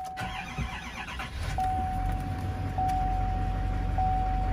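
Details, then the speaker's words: Diesel truck at a Copart salvage yard: after waiting for the glow plug light to go out, a brief crank, then it catches right away into an even idle with a steady dash chime. Good oil pressure; a normal start. "waiting for the glow plug light to drop and"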